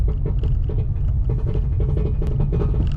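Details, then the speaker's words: Turbo LS Camaro with new injectors and rough tune, driving under load: heavy low rumble with quick irregular clunks; driveline broken, driveshaft suspected, transmission also possibly broken, not confirmed. "Why? Why? It's got to be drive shaft. Well, that's exactly what that is. I hope."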